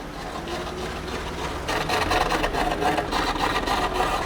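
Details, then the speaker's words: V12 BMW E32 750iL on a lift, rear wheels in the air, driven in gear, only when warm; rasping scrape pulsing three to four times a second with shaft rotation, the heat shield above the exhaust rubbing the driveshaft. "stop it's like it's catching the heat shield it's the heat shield above the exhaust"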